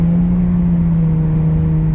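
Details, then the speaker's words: K-swapped Honda EM1 driven in fifth gear with the throttle floored: the engine drones at a steady high pitch without pulling harder, because the clutch slips in every gear except first; the clutch is gone and needs replacing. "Uh yeah, this clutch is basically gone. Uh you see it just not it's not even going nowhere. So definitely definitely definitely needs a clutch."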